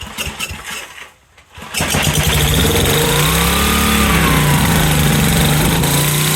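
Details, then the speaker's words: Generac SVP 5000 generator, long unused, after repair work with choke not yet hooked up: brief cranking and a cough, then it catches and holds a steady, even, fast beat, running smoothly, with some smoke. "all right okay she runs Della hasn't been running in a while"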